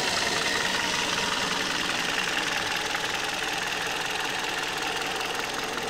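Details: 2008 Kia Cee'd at 104,000 on the odometer on Mobis Premium LF 5W-20 oil, valve clearances within spec: light, fairly even tapping two to three times a second over a steady idle; engine knock at idle, source undetermined.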